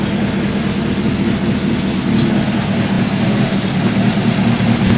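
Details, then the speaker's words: 1950 Buick Roadmaster just after cold start, needing some pedal to stay running, fan belt tension being checked: low, lazy, slightly uneven idle with soft chuff and belt hiss; slow idle. "did say she is a slow idler not exactly fast"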